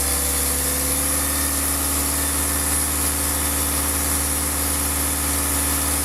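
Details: Diesel car engine after a rough-idle fix for RPM rising and falling at idle, with the fuel system bled of air: steady, even idle with a smooth low rumble and no hunting or misses; sounds healthy and settled.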